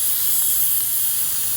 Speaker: you got to turn it and if you can hear that you're gonna hear hissing coming out of it you can open it up